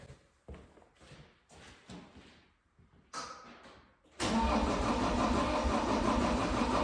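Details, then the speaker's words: 2012 John Deere 333D skid steer, remanufactured long block diesel on first start: uneven starter cranking in short bursts that never catches; air in the fuel system after filter was pre-filled with diesel, owner bleeding it. "let me find a screwdriver and we'll see if we can bleed some air out of the fuel system I filled that filter with diesel fuel before I put it on there that now there's some air in there"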